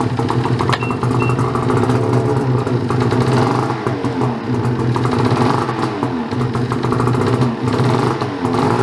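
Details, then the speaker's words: Ski-Doo 850 turbo-modded snowmobile: engine catches and runs rough and uneven, buzzy and surging, never settling to idle, then dies; owner suspects a reed, compression check planned as it might be a piston. "this is part of the issue so it'll start but it won't stay running"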